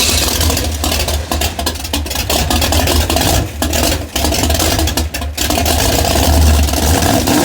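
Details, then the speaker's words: Race car engine after a Holley 4412 carburetor rebuild with new gaskets, on a cold day: revs rise unevenly with sags and stumbles between blips, slightly better throttle response but still lagging; owner suspects vacuum leaks and timing off from weather change. "as I'm sure you guys can hear it does have a little bit better throttle response but it is still lagging up"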